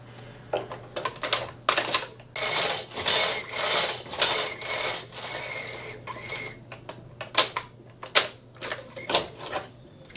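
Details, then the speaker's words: Brother 950e knitting machine after the sponge bar was replaced: the carriage runs with irregular clacking and a faint plasticky squeak that persists after oiling. The sinker plate is rubbing on the gate pegs. "Where is it squeaking from? It sounds like it's the plastic, because if it were the metal, it'd be a different kind of squeak."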